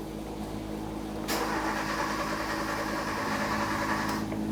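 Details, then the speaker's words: 2014-2019 Kia Soul 1.6L L4 with fuel pump fuse pulled before fuel pump module replacement: steady starter churn at about three turns a second, engine spins but never catches as fuel pressure is relieved; crank, no start. "If it doesn't start, you're just going to crank it over a few times. If it does start and run for a little while, that's okay. Just let it run till it stops running."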